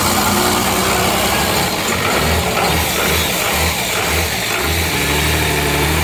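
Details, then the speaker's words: 12-valve Cummins diesel after nine years sitting, fuel shutoff valve pushed up by hand: loud clatter catches and keeps running with an uneven low throb; runs good, injection pump seems a little sticky. "well it runs good the uh injection pump seems to be a little sticky"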